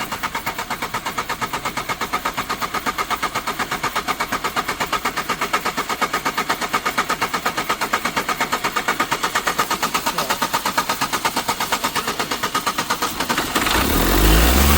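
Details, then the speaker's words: Old Astra sitting since 2014, about 11 years: uneven, lumpy pulsing at idle that never settles before revs pick up; rough running after long standing. "Will this old Astra start? She is rough."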